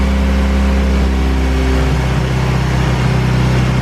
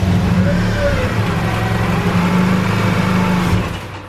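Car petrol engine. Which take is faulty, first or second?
first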